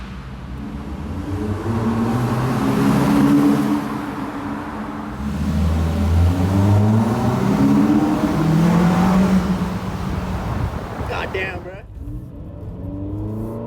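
Engine swings up through two clean rev rises and settles back each time, smooth intake roar, no misses or odd noises.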